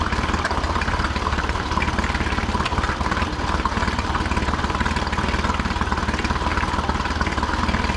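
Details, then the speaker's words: Older Honda BF40A 40 hp 4-stroke pontoon outboard right after fuel line replacement, air pumped out and primer bulb firm, started without choke: settled idle with regular low pulse near four per second, no misses or hunting; normal idle. "So now we're going to see what she sounds like on the startup with uh gas line opened up, no air. Not bad. No choke on that."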